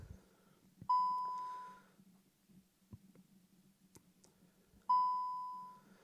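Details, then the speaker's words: 2018 VW Touran, morning intermittent fault, ignition cycled: two identical single chimes about four seconds apart in quiet cabin as braking, stability, auto hold, front assist, TPMS and handbrake warnings appear; no crank. "so put the ignition cycle the ignition so there you go braking current unavailable stabilization control fall auto holds now available i think was tpms as well front assist tpms and handbrake i think"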